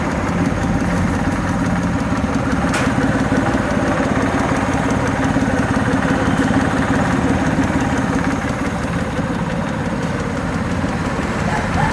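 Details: Suzuki F6A EFI three-cylinder at idle: light, fairly even tick about three a second over the low chug; engine ticking attributed to the fuel injector.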